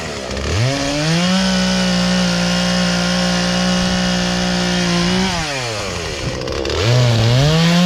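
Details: Poulan Pro two-stroke chainsaw, sat unused about three years, after carburetor adjustment, cutting small logs; snaps up to a clean steady high rev, holds it evenly through the cut, then drops and revs again crisply; running right.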